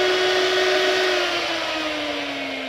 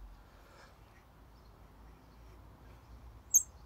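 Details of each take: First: 2002 Mini Cooper S R53 radiator cooling fan after repair of sticking fan bearing that caused overheating, tested on speed one then speed two: steady clean whirring hum easing slightly lower in pitch, no rattle or scrape; fan working normally. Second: Mini Cooper S R53 electric cooling fan turned by hand: near-silence, then one sharp high squeak from a rusty bearing that binds and makes the fan hard to move, causing overheating; the fan was replaced.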